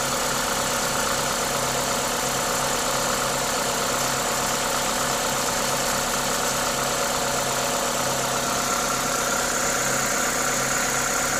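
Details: Toyota 2ZZ-GE four-cylinder at normal idle: smooth, even idle with steady hiss from the induction kit, no knocks or ticks; healthy engine at rest.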